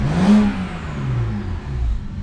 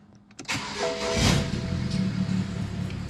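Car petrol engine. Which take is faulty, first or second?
second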